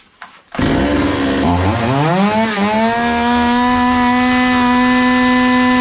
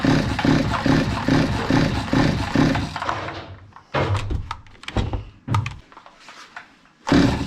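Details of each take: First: Zomax 5020 two-stroke chainsaw after carburetor cleaning and mixture screws closed then reopened about 3 and 2.5 turns; fires, climbs unevenly briefly, then settles into a clean steady idle, running normally. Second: Zomax 5020 two-stroke chainsaw, carburetor cleaned but still stalling; buzzes with a steady pulsing beat for three seconds, then dies, coughs in scattered bursts and refires, before mixture screw adjustment.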